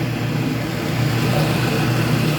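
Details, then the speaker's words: Speed Queen commercial washer after a drive belt change, in the agitation cycle with the motor driving the transmission and the agitator turning slowly. Steady, even low drive-motor hum with no slipping squeal or knocking; the belt drive sounds healthy. "it's turning slowly so the agitator on the top is agitating i can hear the water is being agitated"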